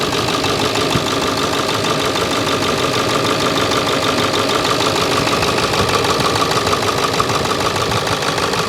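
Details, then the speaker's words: Ford 7.3 Powerstroke diesel just after replacing both oil lines to fix oil leaks: steady diesel clatter at idle with an even beat and no misses or stumbles, and no leaks. Idling cleanly and healthy. "all right no leaks we got our two new oil lines in"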